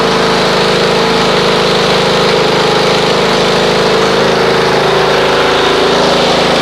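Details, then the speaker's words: Snapper RER Comet mower a week after a fuel additive was run through it, on a dead cold start with the choke off. It gives an even, steady drone with no misses or surging and has already smoothed out. Idle is normal. "Well, you can see it's already smoothed out."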